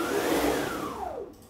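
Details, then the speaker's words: Aluminum-frame CNC router, run about 8 hours daily for over a year, after replacing straight-tooth racks with helical racks and gears: smooth whirring dropping in pitch as gantry stops, no gear chatter; normal quiet rack drive. "as you can hear almost all mechanical noise is gone and the Machine is smoother"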